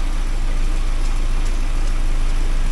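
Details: 1979 Porsche 924 after new motor mounts and warm-up regulator work, at temperature with fuel pressure steady at 3.2 (target 3.4): smooth even low rumble, no knocks or misses; running very nicely; normal warm idle.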